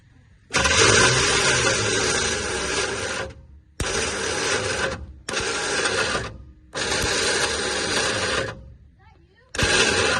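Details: Cheap squarebody Chevy truck with a suspected electrical short: repeated bursts of high, free whirring each time the key is turned, with no cranking beat. Engine is not locked up; starter spins without engaging. Cause suspected, not confirmed.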